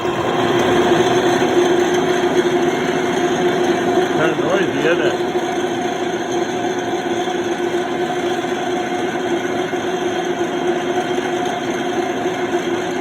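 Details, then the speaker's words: Cincinnati O-8 production milling machine on 480 V 3-phase 60 Hz after a 480 V conversion: steady loud whir with a coarse rattling hum at motor speed; worn aluminum drive belt pulley on steel spline shaft. "I thought it did, but no harm in checking again and trying to see what makes that noise. I don't like that noise."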